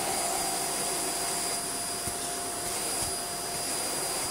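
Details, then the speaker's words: Shark vacuum floor head with stiff, seized brushroll: steady high motor whine and rushing airflow with no beating brush sound; suction motor works but brushroll does not turn. "that is seized so we'll turn it on and we'll see if it blips on but i don't think it will it might make a horrible noise"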